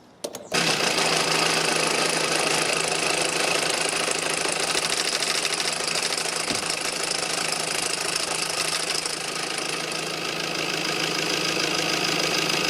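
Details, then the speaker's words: Honda CR-V MK4 1.6 i-DTEC diesel manual, around 15,000-mile service, first start after oil and filter change: fast rattling clatter about three times a second over idle because oil was drained, pressure still building. "scare about that noise, because you drain it all the oil. That's why it's like that."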